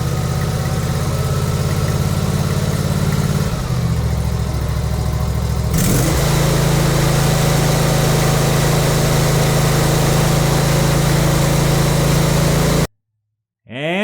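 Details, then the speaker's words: Briggs & Stratton V-twin with Nikki carburetor after cleaning the emulsion tubes and low jets to cure surging; steady low drone with no hunting or surging, ran perfectly for about 20 minutes. "runs like a champ no problem i did let it run for about 20 minutes and it ran perfect the whole time so no problem there"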